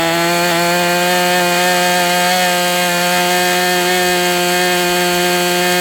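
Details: MDS 68 FS Pro engine during break-in at operating temperature, still tight with high pinch: clean steady high buzz at one speed without sag or surging; running smoothly, better than with the idle bar plug.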